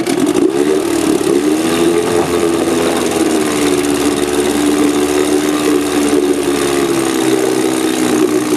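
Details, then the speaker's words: Small recoil-start engine with failed magneto coils, running on a car-battery ignition workaround. Already running with a steady mid-pitched drone and slight speed waver; smooth once going. Hard starting, not audible here. "we'll start it up kind a bit tricky to start but it runs beautiful once he's going"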